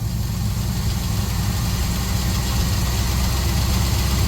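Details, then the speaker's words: 1966 GMC pickup V8 running on its own after sitting, pump pulsing felt, no longer smoking, charging; deep, even idle with steady low rumble and no misses. Normal idle. "Well, if it keeps running, we know it's running on its own, right? Ain't died yet. No? Sounds good, though. Good motor."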